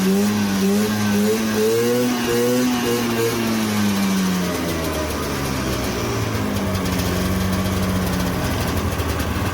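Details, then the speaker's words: Cheap used two-stroke snowmobile, carburetor plugged with a bolt: revs rise and fall with a sharp, raspy crackle on the exhaust note; exhaust leak from a hole in the exhaust. "Got a hole in the exhaust right there."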